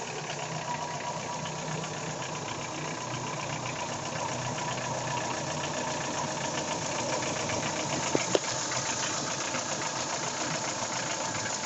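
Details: Daewoo Nexia 16-valve engine at steady idle with a dull, regular knock on each revolution, like a worn rod bearing or piston; connecting rod knock, cured by replacing the connecting rod and piston group.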